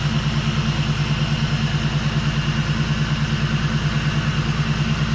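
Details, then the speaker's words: BMW E36 turbo drift car after an on-track engine-bay fire, following repairs: even, steady low burble at idle with regular firing pulses, no misses or knocks. "no fires no breakdowns it's nice and smooth I'm happy"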